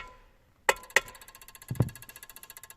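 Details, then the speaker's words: Peugeot 107 (Citroen C1/Toyota Aygo) electric power steering unit, fault code C1554: a couple of sharp clicks, then fast even relay ticking about four per second from burnt Omron G8QE-1A power relay contacts chattering; ignition cycle temporarily silences it. "В общем, это был просто лёгкий стук, ничего серьёзного, но потом он начал дребезжать. Это ещё один, скажем так, диагноз. Если что-то дребезжит, значит, оно неисправно."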